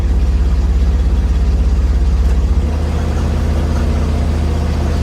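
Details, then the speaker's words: 1963 Corvair with intermittent total power loss, idling in drive: deep, regular throb about three beats a second, easing slightly midway; barely present in neutral; abnormal rhythmic noise at idle in drive, cause unknown. "if it's in neutral doesn't really do it"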